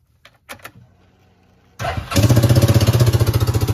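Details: Coleman UT400 engine idling just after start, with a loud, sharp, raspy puffing exhaust beat. It suddenly became much louder than normal on a restart. The cause found was an exhaust manifold leak.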